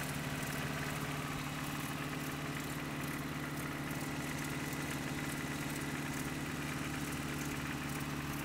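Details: Just-bought Toyota 4Runner 22RE, cold start, filled with 5W-30 oil: cold idle with a steady drone and a light metallic tick, two or three a second. Owner suspects timing chain and/or rod knock, unconfirmed.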